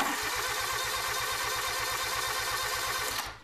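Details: Generator after replacing a bad starter solenoid, with voltage drop across the connection only about 20–30 mV: fast, even cranking at steady speed with no slowing or clicking; the starter turns the engine over strongly and normally.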